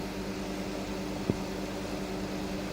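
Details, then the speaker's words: Roadside dumpster microwave, found completely dead (fuse suspected open), now repaired with the cover off: a steady, even low hum with one small click and no buzzing or arcing, operating flawlessly, though the door has a bad contact; normal operation. "this our lack of tender looks to be a miracle maker because this thing is operating flawlessly now"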